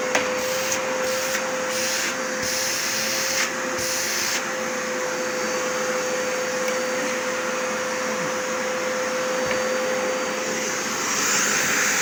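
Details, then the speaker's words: Zanussi 2100 W vacuum cleaner test run after reassembly repair (mains wires stripped and reinsulated, housing and filter refitted): steady even motor roar with clean constant high tone, no rattles or surging; everything works, normal running. "Все работает, все прекрасно."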